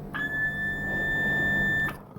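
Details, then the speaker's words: 1964 IME 84 transistorized desk calculator under repair, a germanium diode checked with a continuity-tone tester: a steady ~1.8 kHz tone for about two seconds. The diode still conducts but reads weak versus the others. "yep that's probably still dioding but it's not good at it"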